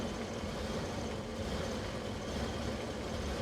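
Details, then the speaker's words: 1998 Ford Econoline 350 5.4L: runs like crap, uneven lumpy idle with a loose irregular beat and low rumble; running extremely rich. "hat range in any case I get the truck running and the truck runs like crap so I'm gonna take you with me show you what we got"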